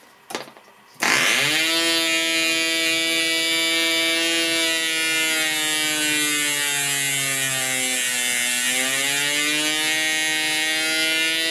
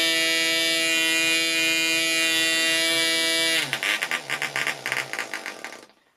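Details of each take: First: Progress Aero Works .55 model engine, compression screw increased past optimum: high buzzing revs sag and the engine labours, then climb back as compression eases; over-compression is bad for the engine. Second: Progress Aero Works .55 model engine running at the optimum compression setting: steady high-pitched scream, smooth, before slowing and sputtering to a stop.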